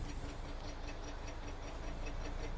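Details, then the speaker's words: 2011 Mazda 6, 199,200 miles, towed in not moving: quiet engine with rapid, even clicking rattle once in gear, speedometer stays at zero when revved; transmission or axle failure suspected, not confirmed. "Something broke inside the transmission, probably. Did you hear that? And now that noise stopped. Noise is there. Speedometer doesn't move."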